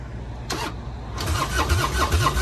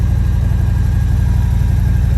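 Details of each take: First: Motorcycle at Copart auction with full fuel tank, in neutral, given a little throttle: fast starter churn about three to four pulses a second with brief catches but never picks up; crank no start. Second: Damaged motorcycle at Copart auction, idling in neutral with clutch out: steady, even low thump with no misses, knocks or ticks; runs fairly decently, normal idle.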